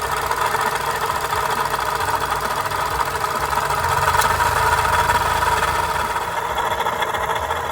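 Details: Daihatsu Copen XPLAY LA400K, KF engine at idle: constant gritty whirring hum over the engine, unchanging; failed water pump bearing noise.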